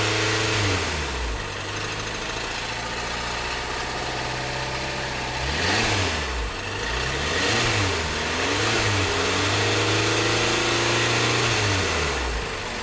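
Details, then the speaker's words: 2012 VW Tiguan GDI turbo that stalled with suspected low oil pressure, still 2 quarts low after oil added: throttle blips with rough knocking worsening under throttle, smoke when gassed; rod knock, engine finished. "That's a massive rod knock there. I mean, if they added oil and it's still 2 quarts low, I believe it's game over."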